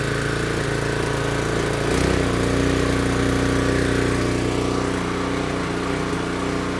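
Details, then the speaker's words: Cub Cadet 3224 3200 psi pressure washer small engine after carburetor cleaning, started on full choke with throttle wide open: settles into a steady, even high-throttle run with no surging or misses; running properly. "Alrighty, she is good to go. Thanks for watching."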